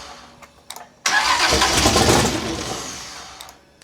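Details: Big block Chevy V8 in a Holden HQ Summernats build after fitting valve covers with neoprene gaskets; catches instantly, roars up strong and settles smoothly, with great oil pressure. Normal start-up.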